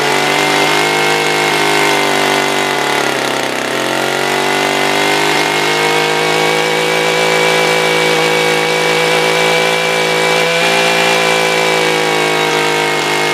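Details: SRM-210 trimmer after carb replacement with new filter, plug, fresh gas and handle: high, steady two-stroke buzz holding an even idle and rising cleanly when revved, no stumbling or surging; normal idle and revving.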